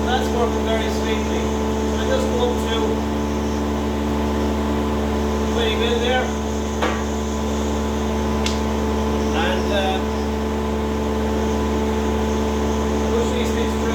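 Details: Wadkin thicknesser test-run after rise-and-fall mechanism repair and calibration: steady even motor hum with a constant low drone and no knocks, rattles or grinding; normal smooth running.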